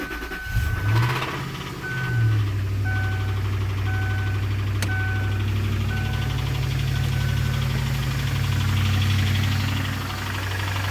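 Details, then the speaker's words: 2002 Lincoln LS petrol engine cranks, starts and idles with a light uneven rattle that eases slightly but returns on throttle; owner unsure whether rod or lifters. "all right so this is my O2 Lincoln LS it's making a weird noise I'm not sure if it's a rod or lifters"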